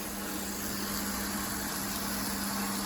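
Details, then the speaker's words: Beko WTG620M2W slimline washing machine drain test with water added: a steady low pump hum holding one pitch over the water rush, draining bubbly suds out of the hose, with no grinding. Normal drain pump. "the pump is working quit that now it's coming out quite bubbly because it's washed all those suds into it"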